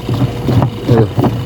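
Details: Washing machine before repair: deep uneven rumble swelling and fading as the drum turns with water load, drum stoppable by hand; motor runs quiet with belt removed, so the worn gearbox is the noisy part, to be replaced.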